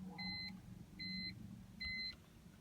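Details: BMW E46 M3 with a flickering gauge cluster and trunk-lid light always on, failing to start. A two-tone warning chime repeats about every 0.8 seconds with no starter click. Cause: a small short in the trunk lid wiring harness.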